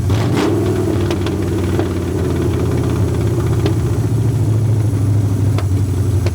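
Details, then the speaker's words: Long-sitting 1981 Ford Mustang 5.0 V8, carbureted, fuel pump bypassed with a pump feeding the carburetor: low, lumpy idle with wavering beat and odd stumble; owner suspects a fouled plug holding heat, restrictive old pump; idling better than before. "I think that it's probably got a plug that's got a bunch of stuff on it and it's holding heat on that plug so it it's keeping it's letting it keep firing is what I think it's doing but it's idling sort up better than uh oh better than what it has been"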